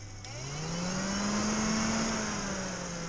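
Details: Chevy G20 van electric cooling fan upgrade, fan energised by jumping its new fused relay to ground: steady low hum rising as fan spins up then holding even, no rattle or rubbing; fan works.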